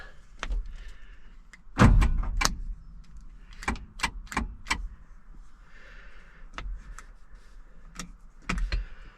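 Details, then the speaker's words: 1977 Peterbilt 359 truck sitting about 20 years, first start attempt with clutch pressed: one heavy clunk when the key is turned, then no cranking; starter engages but won't turn the engine, owner suspects starter needs a tap. "Yeah, it made a clunk, Yeah. but that was it. No more clunk. No more clunk."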